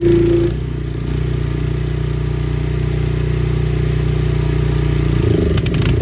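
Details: 4 gpm pressure washer small engine idling with an uneven, lumpy beat and wavering low rumble that never settles; rough idle.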